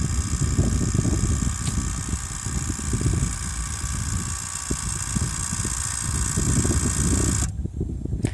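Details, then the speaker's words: 2008 Toyota Prius during brake bleed of left rear, with suspected accumulator pump failure: electric pump whirs with a steady high whine over uneven low rumbling, tone changes, then cuts off sharply; more bubbles follow, cause unconfirmed. "when you believe the left-rear it seems like you get more bubbles when you know you hear you the fluid goes make some noises then the accumulator pump starts going then the tone changes then more bubbles come"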